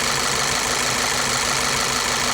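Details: Volkswagen CC with P0300 random misfire after dealer-installed spark plugs, ignition coil waveforms looking poor: idle runs with an uneven stumbling beat and occasional dropped pulses; misfire.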